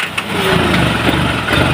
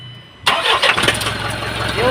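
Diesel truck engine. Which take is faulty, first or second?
first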